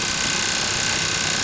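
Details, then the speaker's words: New RV unit under warranty, running standalone: loud constant rushing air roar with fast even flutter; owner suspects something inside the blower wheel, cause not confirmed. "something inside the blower wheel it can't be anything else but something inside the blower wheel"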